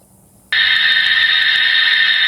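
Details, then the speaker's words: Ground-mic leak detection on a home water line: sudden loud, steady high hiss with no rhythm, pressurised water screaming from a slab leak, strong reading on the detector's bar graph. "This is screaming loud, too. So, my idea if I'm listening to them is how loud are they?"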